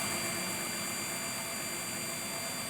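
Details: 2014 Infiniti QX60, owner suspects known CVT transmission issue: steady constant high-pitched whine over a soft even idle, from the engine area; source unconfirmed, engine and alert lights now on.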